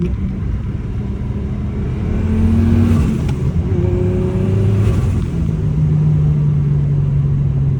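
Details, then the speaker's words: BMW E36 M3 with a new turbo, blowoff valve not yet changed, on a street drive: engine pulls hard through the gears, pitch climbing then dropping at each shift, no rattle or grind; a normal turbocharged acceleration. "there you have it that's what the new turbo sounds like"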